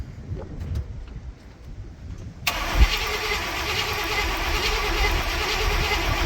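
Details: Barn-find Cadillac with 7-litre V8, unstarted for 30+ years, on a good battery plus charger, fuel reaching the sediment bowl: steady whirring crank that keeps spinning without catching. Crank no start.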